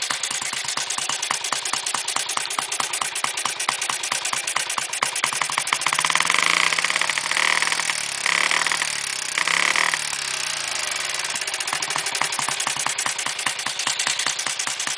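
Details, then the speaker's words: 1958 Triumph Tiger Cub, rebuilt, cold start on one kick; even single-cylinder thump at idle, revving smoothly through the rpm range and dropping back cleanly without misfires; normal revving. "When it's cold, it almost always starts on one kick. Sits and idles, goes through the RPM range really well."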